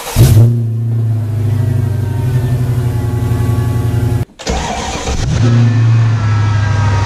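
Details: Mercedes-Benz AMG SL55 supercharged, start-up and revving after installing a 77mm blower pulley: catches and settles into a strong steady idle, dips briefly, then revs cleanly and evenly with no knocks or rattles; healthy.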